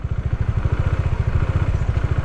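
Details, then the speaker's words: Motorcycle pulling away as the clutch is slowly released: steady low thudding single-cylinder beat, about twelve pulses a second, holding even as the clutch takes up; this engine note signals the bike is ready to move forward. "तो यह आवाज है जो आपको बता रहा है कि अभी आपको आगे बढ़ना है"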